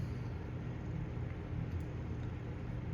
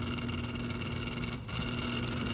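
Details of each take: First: 1997 Windmere Turbo Fan WTF-7 on low: steady even whir with no rubbing or scraping; runs smoothly, low speed quieter than the DuraCraft turbo fan. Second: 1997 Windmere Turbo Fan WTF-7, three-speed, unserviced unit started on low: steady low-speed motor hum with a rough, buzzy edge instead of a clean whirr; fan motor bearings are dry and need servicing.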